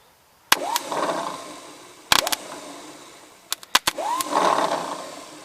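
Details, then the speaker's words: 1953 Ford Jubilee tractor with spark plugs out and ATF in the cylinders: three tries of clicks, then a whir that spins up and fades with no cranking. The starter motor runs but the bendix isn't engaging; the starter is to be pulled. "so the starter itself is working although it sounds like a bag of hammers it's not throwing the bandex"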